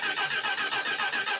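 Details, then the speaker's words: Motorcycle engine dry for 6 years, fresh oil and filter, turned by starter wired direct to battery, no chain: steady cranking with even compression pulses about five a second; engine turns freely, not seized. "Oh, Whoa. there we go. Oh, I heard the engine turn."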